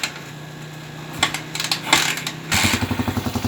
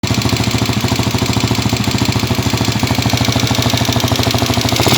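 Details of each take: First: TMX155 single-cylinder motorcycle, previously very noisy with knocking even when cooled, started after an overhaul (connecting rod, clutch housing, bearings replaced): steady, even idle with no rattle or knock. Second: Honda TMX155 single-cylinder motorcycle engine, cold and rested, before overhaul: loud clatter with a steady, fast knock and rattle.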